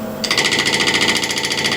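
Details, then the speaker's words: Bowl gouge push cut truing an ash blank on a Killinger KM 1450 SE lathe: fast, even rattling buzz of about fourteen beats a second over the shavings, chatter from pushing the gouge into the wood instead of down onto the tool rest. "sort of these vibrations all throughout your cut, gradually getting worse and worse."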